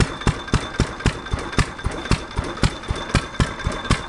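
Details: 1927 Fairbanks Morse single-cylinder flywheel stationary engine, already warmed so not a cold start: deep, even thumps near four a second with steady spacing, running smoothly and healthy.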